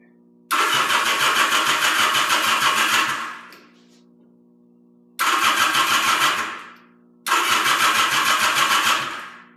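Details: 1977 Yamaha XS750 unused 30 years, with rebuilt carbs, velocity stacks, fresh oil, plugs and resistors, fed from an auxiliary fuel tank: three starts, each catching fast into an even busy beat before fading; the old engine fires readily after long storage.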